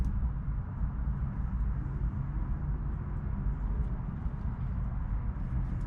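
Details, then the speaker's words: 1971 Dodge Dart engine after sitting for years, fresh battery, fuel line disconnected: fires right up and runs with a deep, steady, even rumble, no misses or knocks; normal running. "literally that's all it was fired right up"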